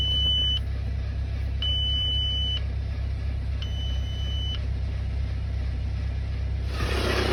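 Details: Audi A6 2.0 TDI diesel at cold start idles with a low rumble while a high low-oil-pressure warning chime sounds three times, about two seconds apart; a squeaky noise is also reported at cold start, cause unknown.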